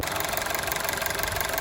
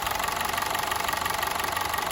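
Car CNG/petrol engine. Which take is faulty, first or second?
second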